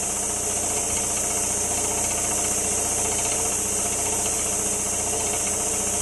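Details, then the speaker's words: About 40-year-old air compressor after a repair attempt, running near 60 psi: loud steady hissing with a faint uneven knock three or four times a second; failed reed valve suspected, cause unclear. "That valve just might have failed, you know? Might have went bad."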